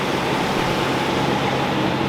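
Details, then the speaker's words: 2005 Toyota Tacoma after belt tensioner replacement and serpentine belt refit: steady, even idle hum with no chirp or squeal; no more squeaking, belts and accessory drive sound healthy — normal idle. "Belts sound good. Truck's running nice. Sounds good."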